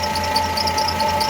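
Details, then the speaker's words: Milking vacuum pump after cleaning and re-oiling, pressure improved: steady running hum with a light high-pitched chirp repeating several times a second; dry squeak suspected at motor or belt bearings, not confirmed. "you can hear a little bit of squeaking we're gonna I'm gonna grease that motor and see if that somewhere in that belt bearing set the oiler"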